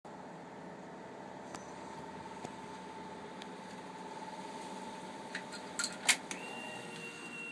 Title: Honda 919 solenoid buzzing sound